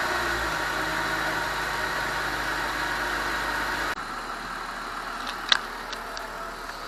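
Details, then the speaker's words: BMW E46 after fixing a DISA valve that stayed open: rev then smooth quiet idle with no odd noise; the small sound previously heard when revving is gone. "it sounds pretty healthy um before when you rub it up it used to make a little sound and now I think it's gone"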